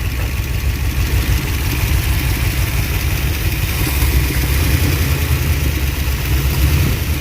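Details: Abandoned Ford Mustang Eleanor project, likely a 289 V8, first start in over a decade, running off the carburetor bowl: loud, lumpy idle with a heavy low rumble and uneven beat. Misfire, dead on about two cylinders; cause unconfirmed.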